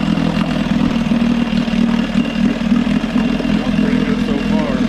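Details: Johnson 6hp outboard holds a steady, even buzzing drone with no misses or surging, after the carb float (set too low, starving the bowl) was corrected, fuel pump and all fuel lines replaced, and starter refitted: steady running.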